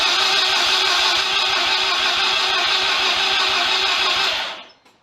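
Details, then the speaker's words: Mazda FC RX-7 project after rewiring and a reinstalled Microtech MT8 ECU, cranked on brake clean: the starter spins evenly at about 220 beats a minute, never fires, then winds down; the owner suspects no spark, unconfirmed. "certainly didn't sound like it had any spark that was for sure no kick no nothing"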